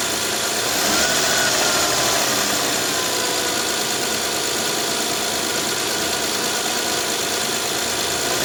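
Steady, even idle with a smooth hum and no knocks or misses; the V6 settles and runs cleanly.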